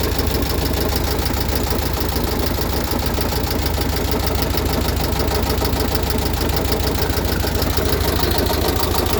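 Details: Freshly rebuilt VW Type 1 36HP air-cooled flat-four, under 100 miles, valves adjusted correctly, idling with a steady deep knock of about three per second. It persists with the fan belt off. Rod knock is feared; the owner hopes for a loose oil cooler rattling in the fan shroud.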